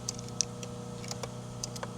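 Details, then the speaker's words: VL Calais with 304/308 engine, right indicator flasher ticking lightly and regularly over a steady low hum, no buzz between ticks; flasher working normally. "tick tock tick tock goes the right one"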